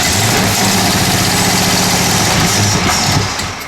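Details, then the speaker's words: 1970 Plymouth Road Runner V8 first start after about 25 years unrun: loud, uneven idle with lumpy, irregular beat that stumbles and fades; ignition timing off, fuel pump also suspected not working. "okay we got the timing off and I don't know which way that is uh let's do a little Cypher by got it ran we just got the timing off"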